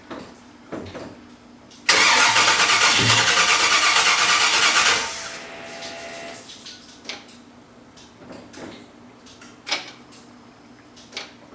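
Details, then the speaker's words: Starter spins hard for about three seconds, then drops out abruptly with scattered clicks and no catch, after the engine briefly ran for a second; owner suspects the start push button, as cranking stops by itself while held, battery showing 12 V, about 10.9 V cranking. "Well, there's something going on with the push button."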